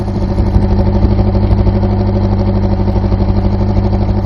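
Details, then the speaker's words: 1991 Honda Civic at idle: lumpy, uneven idle with a steady off-beat stumble about three times a second, engine shaking, black smoke when driving, worse when warm; misfire from a low-compression cylinder. "This thing used to run so smooth, I mean, the tailpipe never moved. I mean, the engine shakes now and all that."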